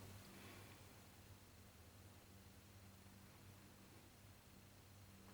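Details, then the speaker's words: Fridge with ice box, compressor heard through a screwdriver handle held to the ear: faint steady hum of the motor windings, no start, after a click; stalled and tripping the overload sensor. Overloaded compressor motor hum. "It's trying to start the compressor. A good way of listening for this is using a screwdriver, putting your ear to the compressor through the screwdriver handle, and you will hear the motor humming. This is the windings on the motor."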